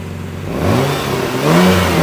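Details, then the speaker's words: Family van with exhaust repairs pending: idles then revs with a raspy, puffing edge growing with revs; exhaust leak from a cracked exhaust flex pipe seam, to be welded. "had like it sounded like it had a bit of an exhaust leak didn't it yeah it was a little extra oh you know what it's going to be this that Flex yeah that Flex is going to yeah that Flex is just shot"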